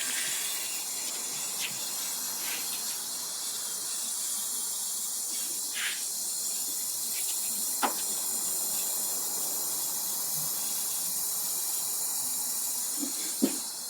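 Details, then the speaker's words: 1977 Datsun 280Z L28 engine, stopped, during a cylinder leak-down test: steady high hiss of escaping air heard through a hose from cylinder two, with a little from intake and exhaust; head gasket suspected blown between cylinders one and two. "What's interesting is I hear it coming out of two, so and I might even feel it coming out of and So, there might be a blown head gasket between one and two."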